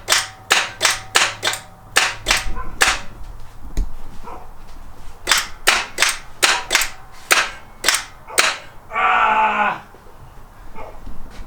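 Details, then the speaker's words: 1986 Toyota 4Runner, attempted start after the battery was supposedly charged: sharp clicks about twice a second with no cranking, then a short whir; starter clicks but won't turn the engine over, cause not confirmed. "it's making noise what's that noise yeah something's been going wrong dang I thought you charged it"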